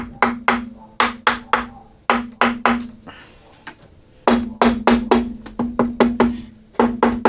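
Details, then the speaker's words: 1966 Fender Deluxe Reverb combo amp, chassis out: sharp knocks on the empty cabinet each leave a short buzzy ring; rattle not the reverb tank, speaker mounting first suspected, found to be a loose logo emblem. "The last thing that I need to address with this amplifier is that the cabinet has some sort of a rattle and it's not the reverb tank."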